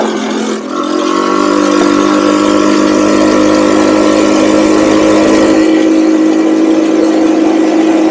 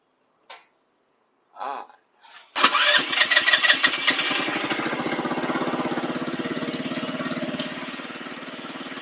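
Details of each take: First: Cheap buggy's small engine, hot, riding after fitting a 120 jet; revs with a steady climbing pitch, no stumbling; normal running with rare hesitation, owner thinks it comes from the pilot jet. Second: $300 buggy small engine, carb tuning with 110 jet and needle at very bottom, previously running lean: after a few tries catches and runs with slightly surging, uneven beat before settling, looks jumpy; uneven running, mixture not yet right.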